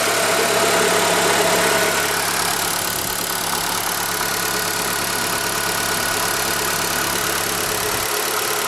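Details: ZAZ Forza, 2,500 km, fresh 5W-40 synthetic oil: steady light quick ticking at idle under the hood, persists when warm, vanishes briefly on throttle blip; owner suspects hydraulic lifters or injectors, later traces it to an external unit, engine itself quiet.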